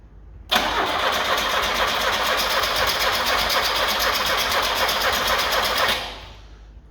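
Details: Carbureted Lada 2104: about five seconds of steady rhythmic cranking, roughly four turns a second, that never catches. Owner suspects a bad fuel pump starving it of fuel, though it is unconfirmed.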